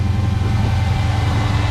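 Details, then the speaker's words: Dodge SRT (2018) at a dealer auction, cold start: deep, even rumble holding steady with no knocks or misses; healthy cold start idle. "That was a nice cold start though, huh?"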